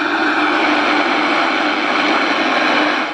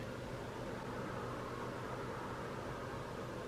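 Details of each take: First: Harvard H-407 CB radio restored and run on 13.8 volts after the tune-up: steady even receiver static hiss from the speaker with no crackle or dropouts, with more bass. Normal receiver audio. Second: Harvard H-407 radio during FM detector alignment, with a 1 microvolt signal-generator input: a steady heavy hiss with faint, buried audio. Noisy weak-signal reception before alignment.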